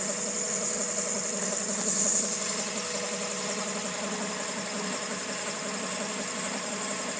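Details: 2000 Honda Civic EX with rebuilt D16Y8 engine, rough noisy idle: busy uneven clatter with faint high hiss; owner suspects cam pulley, timing tensioner or a bearing, pulley not rotating smoothly, mechanical timing appears correct.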